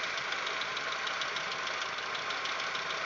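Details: Audi 1.8, 90 hp, warm idle after cylinder-head repair: light, uneven ticking over the idle, absent cold, louder and with changing rhythm as it warms. Replacement lifters changed nothing. Owner suspects hydraulic lifters or the 15W-40 Lukoil oil, as semi-synthetic was fine before; unconfirmed.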